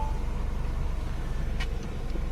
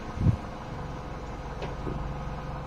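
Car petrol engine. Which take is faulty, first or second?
first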